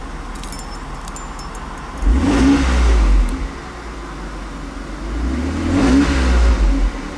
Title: 300sl hard start